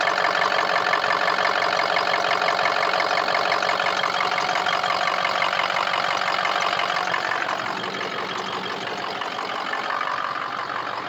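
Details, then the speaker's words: Diesel just restarted, starting almost immediately; owner suspects the injector harness, as only 2 injectors hit on self-test: clatter pulsing about 3.5 times a second, tone shifting and settling near seven seconds; rough warm-up idle that smooths out. "Almost started immediately. Almost. And then it's rough and smooths out. Rough and smooths out."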